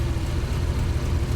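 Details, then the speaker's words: Triumph Stag 3.0 V8 after replacing the failed viscous fan coupling (Torquatrol unit), coolant refilled, not yet at temperature: steady, even low rumble with no scraping or fan noise; fan spins freely. "we've um got the engine underway i've refilled with water and the anti-freeze um and the fan is spinning not catching on anything no noise seems to be okay"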